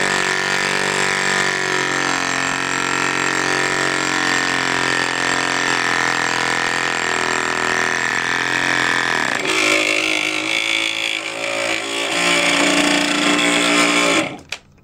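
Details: Cox model diesel mini generator, exhaust open to start without back pressure: high steady buzz, then note drops and wavers before cutting out; owner believes out-of-balance flywheel is sticking, axle slipping, fuel hose clogged, engine running a little hot.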